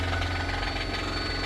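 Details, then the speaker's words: 2017 Kia Sorento four-cylinder, possibly turbo, towed in: rough idle with a steady fast rapping knock tied to engine speed; engine knock, likely needs a replacement engine. "So that is definitely an issue. So looks like this thing's going to need a motor."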